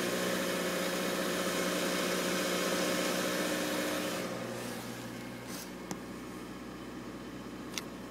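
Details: 1993 Toyota Corolla, cold engine at idle: steady buzzing hum with a fast even pulse about four per second that eases off partway; vibration sound occurs only when cold, source unknown.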